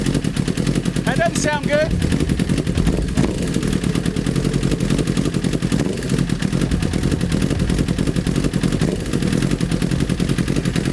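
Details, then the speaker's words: 2008 CBR1000RR street fighter, freshly rebuilt engine, running with new exhaust fitted and fluids filled; loud fast hard rapping knock at idle over harsh exhaust, engine accepts throttle but something is knocking inside. "that sounds very bad [Music] nope something's definitely wrong in there"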